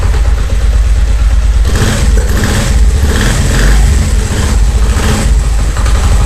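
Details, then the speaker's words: Honda CD70 70cc single idling: loose, uneven knocking rattle with clutch released that stops when the clutch lever is pulled, louder in enclosed spaces; caused by play between clutch basket and clutch plate tabs. "ये देखि clutch मैंने जो है इसका छोरा है आवाज आ रही है और ये देखिए क्लच पकड़ने पर नहीं आ रही छोड़ने पर आर है"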